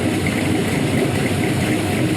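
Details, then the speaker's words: 5.3L gen 3 LM7 LS V8 with a big cam (228/230 at .050, .585 lift, 112 LSA) on a base tune, heard at the exhaust; choppy, loping idle with an uneven burble. Healthy big-cam idle. "get one more listen to the exhaust i just love that how these camshafts sound so good"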